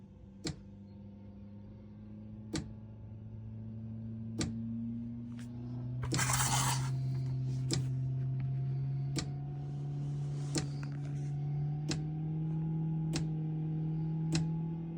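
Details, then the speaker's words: Autoterm Air 2D diesel heater mounted under the chassis of a 2018 Peugeot Expert, first start: sharp ticks about every two seconds over a low rising hum as the dosing pump primes, normal. Pump connectors must be fully seated or error 17 appears. "Ouais, là ça commence à amorcer. C'est le bruit de la pompe."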